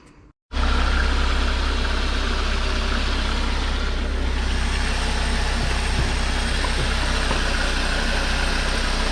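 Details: VW MK5 Golf 1.4 TSI twin-charged at idle right after water pump and supercharger clutch replacement and coolant refill; steady, even idle with a smooth low hum, no squeal or knock; sounds healthy and quiet, though a check-engine light is on.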